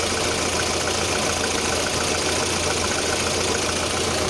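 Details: 1.6 8-valve petrol engine at a steady idle with a fast, loosely regular tapping of about three or four a second; the owner reports a knock at idle, sometimes on adding throttle at start-up, of unknown origin.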